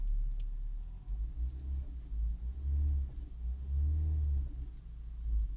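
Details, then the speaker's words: Ford EcoSport 2.0 with the DPS6 Powershift transmission, check engine light on, revved to 2,000 rpm with no drive or reverse: revs rise and fall in low rumbling surges with nothing taking up drive. The clutch is not engaging. "el vehículo reversa y vendrá aceleramos a 2.000 revoluciones y no da marcha adelante"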